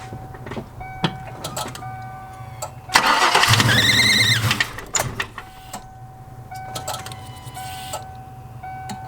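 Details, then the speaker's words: Cranks about two seconds with uneven whirring but never fires after a Typhoon intake manifold install with new bolts; injectors and coil packs checked, owner suspects the tune may not suit the manifold. Cranks but will not start. "this thing literally does not wants a fire right now so give me some time guys"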